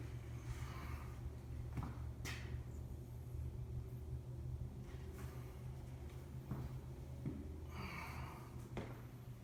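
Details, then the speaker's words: Original, very-low-mile 1968 Buick 430 V8 (ex-'68 Riviera), first run in decades after fixing a bad ground at the distributor points, carburetor never apart: a low, even, smooth idle with no misses or stumbles, firing on all eight. "I've never had this carburetor apart, so I don't know what the carburetor is trying to do, but it sounds like it's hitting on all 8 for sure."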